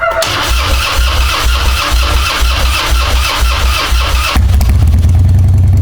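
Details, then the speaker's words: Harley-Davidson Twin Cam Dyna Glide (FXD), 39,000 miles, after CV carburetor rebuild and intake manifold reseal, on full choke: about four seconds of cranking, then catches cleanly into a steady loping idle; healthy start, no more fuel leak. "Yeah, so as you can see there, basically starts right up and more or less immediately idles. You can knock it from full choke down to half choke, and it seems fine."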